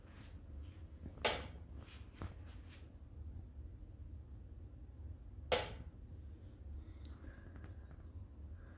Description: My DeLonghi oil filled radiator is doing strange, loud clicking sounds as if turning off and on